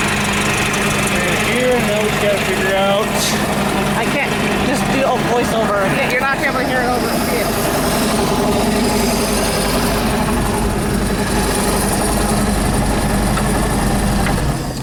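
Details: 1978 Hammond boat, sat over 10 years, first run after revival: steady, even idle with a low rumble and no knocks or misses as it warms up; goes into forward gear, tilt down not working.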